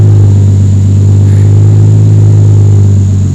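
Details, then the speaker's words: 1993 Toyota Supra RZ JZA80, 2JZ-GTE twin turbo, Blitz ECU, not fully warmed: steady low idle drifting slightly up and down, no misfire; hunting idle, owner suspects vacuum leak or PCV valve, unconfirmed. "it is kinda the Italian sort of going up and down just a little bit it could be vacuum leak ghosts and all that kind of thing some way it could be the PCV valve as well"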